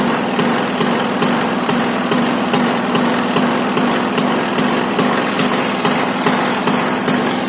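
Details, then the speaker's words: Bajaj Discover 150 single-cylinder, kick-started cold after years sitting in a workshop, cleaned and accelerator cable refitted; steady even idle with a light regular tick, no smoke or misfires: normal idle. "Guys, അങ്ങനെ വണ്ടി സ്റ്റാർട്ടായിട്ടുണ്ട്. വണ്ടി ഇതാ called സ്റ്റാർട്ടാണ്. Engine നല്ല എഞ്ചിനാണ് guys, ഒരു പുകയോ ഒന്നുമില്ല."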